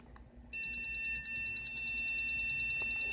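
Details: PC motherboard powered on with RAM removed, after discharging capacitors 30 seconds (RAM possibly unseated earlier): shrill, continuous high beep pulsing about three times a second, the missing-memory beep code.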